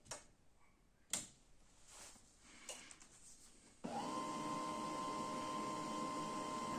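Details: Canon i-SENSYS MF4410 scanner carriage after repairing the broken scanner motor cable that caused error E202-0002: a few handling knocks, then steady even motor tone as the carriage travels smoothly, scan motor working normally.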